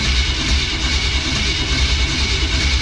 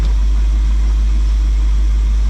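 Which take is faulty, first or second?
first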